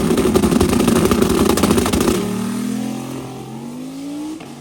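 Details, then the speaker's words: Truck on a hard pull: loud raspy clattering exhaust, then lift-off and fading spool-down; owner suspects a crack, exhaust leaking at the separated turbo joint, so no boost builds. "Well, I can hear more exhaust now than I ever could. So I'm sure if I got a crack somewhere. Because it's not building any boost."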